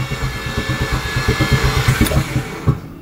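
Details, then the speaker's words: Mazda FD RX-7 13B REW rotary, with starting fluid: uneven chuffing starter pulses, roughly three a second, no firing catch before stopping; sounds like zero compression, cranks but won't start. "as this thing sounds like it has zero compression it's not very helpful this thing will start but anyway didn't think so"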